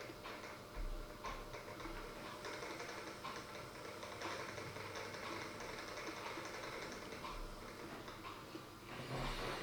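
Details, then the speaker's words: Dapol Class 09/08 O-gauge shunter crawling slowly after greasing the main gear and running-in on a rolling road: quiet, even gear whirr with no knocks or catches. Smooth low-speed running. "But it definitely runs well, and it definitely crawls well."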